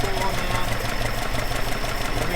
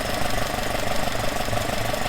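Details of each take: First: Alfa Romeo 105 GTV with twin 40 mm Dellorto DHLA carbs unbalanced: low, uneven lumpy idle around two beats a second with a shaky, wavering pulse, vibrating; synchrometer reading taken before being adjusted toward balance. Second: Alfa Romeo 105 GTV with twin 40 mm Dellorto DHLA carburettors, baseline idle before balancing: warm, steady idle with an even pulse and no hunting or misfire; synchrometer shows left carb 3.5–4 kg/h, right 4 kg/h, fairly well balanced.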